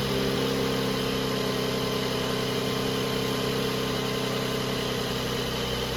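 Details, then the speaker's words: 2019 Mercedes-AMG C43 after spark plug and air filter change: smooth steady idle with even low hum, no knocks, misses or ticks; idles normally. "Our engine sounds healthy. Our spark plugs are changed. Our air filters are changed."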